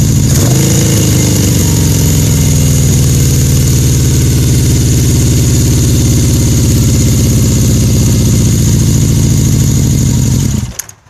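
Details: 1981 Yamaha XS1100SH four-cylinder motorcycle, new coils and wires: inconsistent, lumpy erratic idle and low power caused by loose throttle shaft rivet on #4 carburetor.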